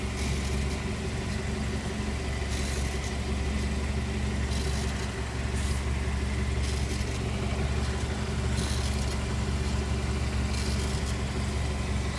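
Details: 2012 BMW X3 F25 xDrive28i automatic, transfer case ATC-45L: buzzing bursts every couple of seconds over a low drone when crawling under 10 km/h in R or D while braking or lifting off gas; cause unconfirmed.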